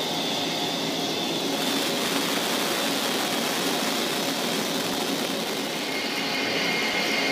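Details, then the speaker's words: Wire EDM machine cutting full part thickness under water, water flushing particles from the cut: steady dense crackling hiss with no rhythm or pitch change; normal spark erosion. "there you see it burning the full thickness you hear that loud noise that's all the sparking going on the water flushing away those particles away from the from the cut"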